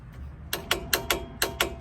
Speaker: Okay, when it clicks like that, that means it is at 130 foot-pounds. It's at 130 foot-pounds.